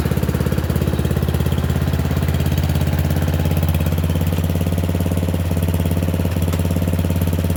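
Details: Murray Select 30-inch riding mower on a driveway test drive: the small single-cylinder engine chugs at a steady, even beat with no knocks or misses. It runs okay and a bit better, though owner notes carburetor and gas tank issues.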